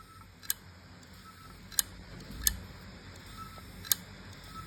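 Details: WD 4 TB My Passport portable drive, never detected by a Windows laptop: sharp, irregular dry clicks over faint spin as the head keeps retrying a read, then the drive stops spinning; platters believed intact.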